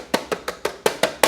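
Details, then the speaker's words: Bianchi EP8 T-Tronik e-bike at first service: tapping the plastic battery cover at the bottom gives seven sharp taps with hollow plastic buzz; cover rattles because the bottom fixing nut is missing. "now there's a plastic cover that covers the battery but if i touch it and tap it you can hear"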